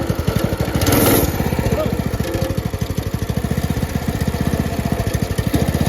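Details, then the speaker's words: Brand-new Predator 224 single-cylinder engine on a homemade drift trike, first start with choke on: pops, catches and runs at a fast, steady, even chugging idle; normal first start. "do you want to try to start it hopefully it doesn't hang wide open and take off in the woods that'd be unfortunate"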